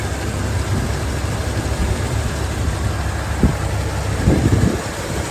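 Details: 1971 Chevrolet El Camino project car with a 350 V8, automatic, two-barrel carb and hand choke; runs good. Even, low V8 rumble at idle with a couple of light throttle blips; steady, healthy idle.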